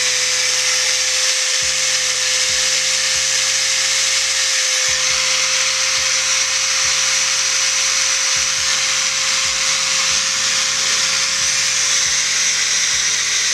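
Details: Angle grinder after bearing and switch replacement: steady high whine at constant pitch, no rattle or grinding over background music; runs smoothly after repair.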